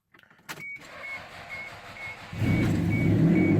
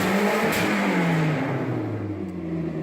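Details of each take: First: Toyota Celica ST162 after replacing a completely melted timing belt: chime, crank, catch, then steady even idle with one clean rev; engine healthy but exhaust very loud, needing repair. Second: Toyota Celica ST162 running after its melted timing belt was replaced, exhaust still needing repair: deep, loud note rising and settling as it is revved; exhaust far louder than it should be.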